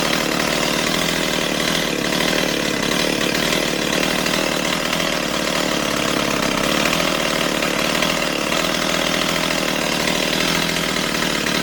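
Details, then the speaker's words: Stihl 028 AV Super chainsaw after carburetor rebuild, low-speed screw tuned with a tachometer: steady, even two-stroke idle right around 2400 rpm with no hunting or stalling, chain creeping slightly; normal idle. "Alright, I'm pretty happy with that. That's right around 2400."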